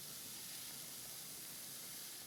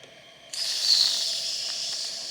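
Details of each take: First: Wilesco D455 toy steam engine, boiler fully warmed to pressure on solid fuel tablets: soft steady hiss swelling then holding even as the safety valve lifts and vents steam normally. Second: Wilesco D455 toy steam engine, warmed up and refueled: the whistle opens to an airy hiss with only a faint high note because the boiler is not yet at full pressure, shortly before the safety valve lifts. Weak whistle from low boiler pressure.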